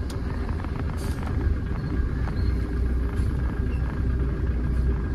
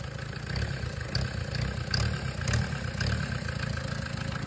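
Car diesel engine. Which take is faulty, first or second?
second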